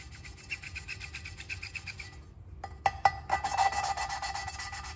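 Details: Allis Chalmers B tractor cylinder head being rebuilt: a rhythmic gritty rasping as a valve with lapping paste is worked back and forth on its seat with a suction cup. This is normal valve lapping, the paste doing its job.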